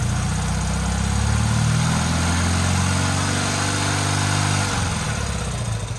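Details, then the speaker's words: Motorcycle twin after sitting 20+ years, during carburetor synchronization, held off idle at about 3,000–4,000 RPM: strong even low drone easing down without stumbles or misfires; both cylinders pulling evenly. "So I'm gonna bring it up off idle at about 3,000 to 4,000 RPM."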